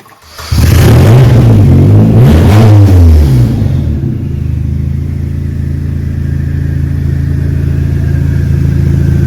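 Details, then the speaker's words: Exocet chassis-swap Mazda Miata with a Flying Miata turbo, just lowered onto the ground after the build, starts instantly, gives two sharp clean rev blips, then settles to a loud, even idle. Healthy turbo engine. "So that's about it down here, and I will let it down now and let you hear the glorious turbo from Flying Miata and hear this thing absolutely scream."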